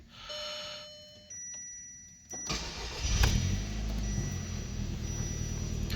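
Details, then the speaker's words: 2006 Audi A3 2.0 turbo, cold start on a frosty day after valve cover gasket and spark plug replacement, previously misfiring on multiple cylinders: short crank, catches and settles to smooth even idle, no stumble; no misfire. "sure doesn't sound like a misfire"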